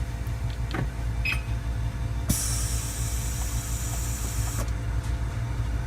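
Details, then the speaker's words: Audi adaptive air suspension after the car is turned off and locked: the release valve inside the compressor vents air with a steady two-second high hiss over a low hum; normal pressure release. "So every time when you stop the car, turn off the car, lock the door, you will hear the hissing noise. It's releasing the air."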